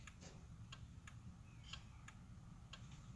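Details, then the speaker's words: Clicking at about three per second from the remote start module on a factory-remote add-on system (iDatalink/Compustar) after three key cycles: valet mode is engaged, so remote start is disabled but the key still starts the car; five ignition-on cycles should exit valet. "That clicking means it's in valet."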